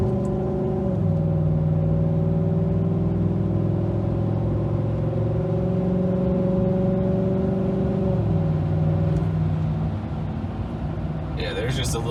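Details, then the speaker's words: 2019 Chevrolet Silverado, about 4,000 miles after fitting a Range Technology DFM Disabler, with a new intake, doing a pull. Engine drone climbs then drops cleanly in steps at each gear change with no flare, slip or clunk; near-perfect smooth shifts. "just a little sample of how smooth this transmission is. I mean, it's pretty damn near perfect. It shifts fast, it shifts well."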